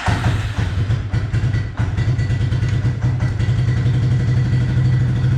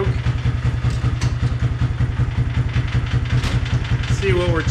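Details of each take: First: Suzuki King Quad ATV after replacing a suspected faulty part, charging shows 14.3 with lights off: steady, even low idle thump with no misses or knocks; runs smooth after the fix. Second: King Quad ATV single-cylinder on a jump battery, earlier running only with lights on, now the same even with headlights on: slow, slightly uneven thumping at about 2.5 beats a second, near stalling; poor idle, charging reads 18 volts, regulator/rectifier needed.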